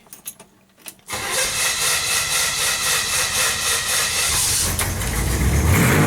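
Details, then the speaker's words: 1967 Chevrolet Impala engine, started from driver's seat then heard outside running without headers or mufflers: starter whir, catches into loud, raw, even idle with crisp open-pipe pulses; normal start and idle, just unmuffled. "bringing it out here so you can hear everything that's what your car sounds like without the headers or Mufflers on it"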